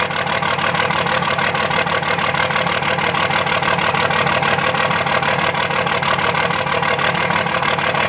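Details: 2005 Dodge Cummins diesel idle clatter with a regular skip in the firing rhythm, about three beats a second; dead cylinder misfire from a bad injector not firing.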